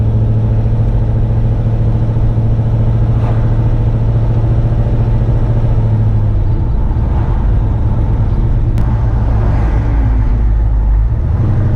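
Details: XC Ford Falcon with a 351 Cleveland V8, driving after a cold start following months unused, not yet professionally tuned. Steady, even V8 rumble with smooth pulls and no stumble or miss over road noise; normal running.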